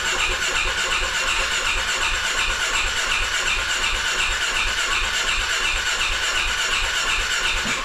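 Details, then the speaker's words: 2016 Polaris Ranger 570 cranking but not starting: strong, even cranking at about three compressions a second for eight seconds, battery strong, never fires; oil smell suggests crankcase blow-by, so a top-end rebuild is suspected; cause unconfirmed. "as you can hear the battery sounds good and strong she just won't fire so i'm gonna dig into it a little bit more here"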